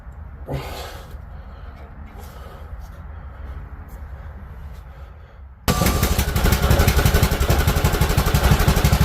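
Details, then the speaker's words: Craftsman T1600 riding mower after carburetor replacement and fresh fuel: quiet start then strong, steady, even run with no misses, though it later shut off for unknown reason and a fuel hose leak was found; normal running. "Oh, ho, ho. Beautiful. Sounds great. Uh, I'm not sure why it shut off."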